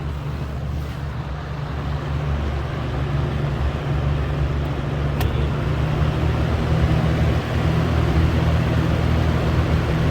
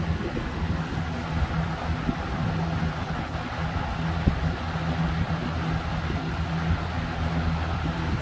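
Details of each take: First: Air King 20-inch box fan, model 9723, about 1998, Marco motor, running on low: steady low drone with a rough, buzzing undertone. The owner is unsure what the odd noise is but calls it a good fan. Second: Air King 20-inch box fan, model 9723, Marco motor, running on medium: steady low motor hum with an even airy rush, no rattle or wobble. It runs normally, just noisy.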